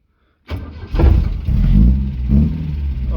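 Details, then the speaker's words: 1970 Opel GT after valve tappets were found out of adjustment and reset: starts quickly, blips once, settles into smooth even idle with no missing beat or valvetrain ticking; sounds much better. "that sounds so much better"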